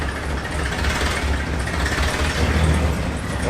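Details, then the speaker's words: 1966 Cadillac DeVille V8, stored for decades, needing tuning after a lean backfire, gives a deep, lumpy, shaky idle with uneven thumps and heavy engine vibration; missing on some cylinders. "you got to see this motor I've never seen a motor vibrate like this it's got just the right amount of cylinders out"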